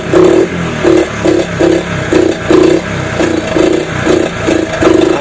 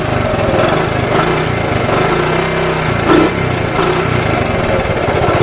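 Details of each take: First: 1983 Honda ATC 70 after sitting over 10 years, carb rebuilt, side cover off, running carb out of gas: revs in uneven surges about every half second, blipping up and falling back; owner plans to run Seafoam through the carb, motor otherwise quiet. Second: 1983 Honda ATC 70 single-cylinder after sitting over 10 years, carb rebuilt, blue spark, started on starting fluid with choke: putters at a steady idle with a quick, even beat and no knocks; runs fine.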